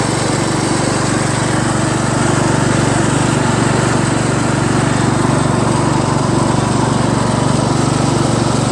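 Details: Craftsman LT1000 lawn tractor on first test drive around the block after a new drive belt was installed; steady, even engine drone with no knocks, a little noisy, steering stiff; normal running.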